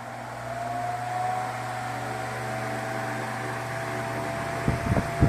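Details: Ventisol VOP 60 MX G3 60 cm wall fan, 200 W, 2.5 µF capacitor, set to 127 V, no dimmer so at maximum speed after coil jumper repair: motor hum settling into an even drone with airy rush, a few handling knocks near the end.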